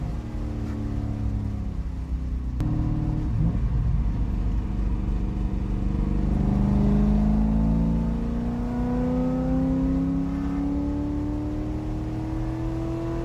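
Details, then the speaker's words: C5 Corvette with a BTR Stage 3 cam on a remote tune via HP Tuners, during a logged wide-open-throttle pull: the pitch climbs cleanly, then eases off, smooth with no misses or rattles. "It was so awesome getting to go wide open throttle on this car. I haven't been wide open throttle in this car since probably April. So, it's been a minute. Um, it felt amazing. It sounds so good and the car drives so smooth."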